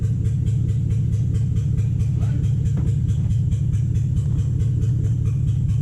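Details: 2007 Toyota Hilux Vigo 4x4 with a swapped 3UZ Toyota V8 and manual gearbox, idling after a suspected lost coil on one side, now fixed with the right-hand bank running properly: a deep, even burble with a steady beat and no stumble from either bank.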